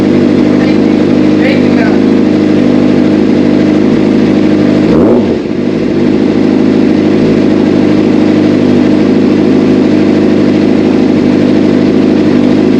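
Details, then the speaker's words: Honda Shadow motorcycle restarted after replacing a shorted, fried wiring harness and ECU: steady, even engine hum holding its pitch with one brief blip midway; clean, smooth normal idle after the repair. "I'm gonna start it back up again. Dog, that sound."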